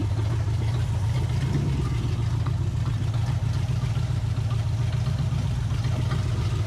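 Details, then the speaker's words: 1980 Camaro V8 running for the first time in over 10 years on a used carburetor and old spark plugs, no temperature gauge: low, lumpy, uneven idle. Owner thinks timing is slightly off, with a possible knock developing. "Sounds like it's a hair bit out of time. Might hear a little bit of a knock wanting to happen. It ain't exactly running the bestest."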